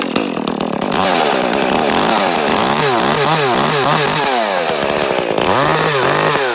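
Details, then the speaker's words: Echo CS-310 chainsaw, about six or seven years old, cutting out at the top for eight months, worse once warmed up; air and fuel filters already changed: revs surge, then sag and break up at top each time; faulty spark plug. "about eight months ago it just started cutting out on top in you know I've gone through it's just out of the blue just started especially when you want if you just warmed it up and revved it up he would cut out"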